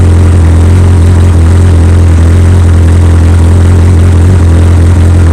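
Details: 2003 Yamaha R1 four-cylinder with full Akrapovic exhaust on first start, check engine light showing code 18: deep, steady idle with an even low drone and no knocks or ticks; normal idle.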